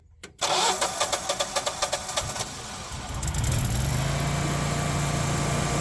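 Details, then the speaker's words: Generac whole-house generator after its oil leak and low-oil shutdown were repaired: about a dozen even cranking strokes, then it catches near three seconds and settles into a steady, smooth run; a normal start and idle. "look at that low oil pressure oh heck yeah we're in business now I can fire it up get the oven warming up and get our ham in there"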